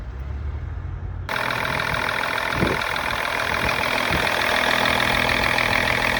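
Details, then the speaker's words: High-mileage 2000 BMW E39 530d diesel after second coolant-leak repair using rubber O-rings: after a short quiet start it settles into a steady, even idle clatter with no misses or knocks; runs healthy, airbag warning light on. "As you can hear, and as you could see, the engine is working."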